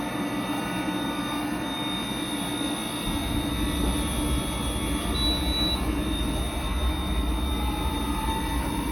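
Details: Riello 40 F5 oil burner running; steady high-pitched squeal rides over the burner's constant roar and hum; continuous motor squeal, probable cause a worn sealed motor bearing with no lubrication points, unconfirmed.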